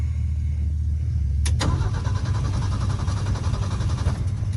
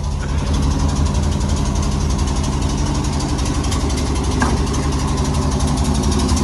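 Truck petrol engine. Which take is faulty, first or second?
first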